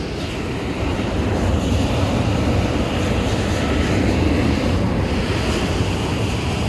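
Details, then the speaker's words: Cambridge direct-fired makeup air unit burner after lockout on airflow from an out-of-adjustment damper actuator: steady, even gas flame roar with airflow now proven, no surging or dropouts; burner stays lit, though flame still looks off. "fire burner still doesn't look good to me it's got uh it's got air flow now so it's going to keep running"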